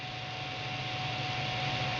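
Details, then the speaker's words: Radeon HD4870 GPU dual-fan cooler at lowest setting, normally 50% even at idle: constant airy whoosh with faint thin whistle, not much quieter; excessive fan noise. "there you go doesn't really get any quieter but you want to hear how loud this thing can get I'm going to turn the fan speed up to 100%"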